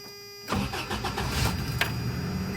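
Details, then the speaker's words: 1992 Toyota pickup 22RE, second start after new starter replacement (clutch in): after a moment of quiet the starter spins briskly, engine fires almost at once and settles into an even idle; normal cranking and start. "I love the way that sounded. Oh my gosh, yes!"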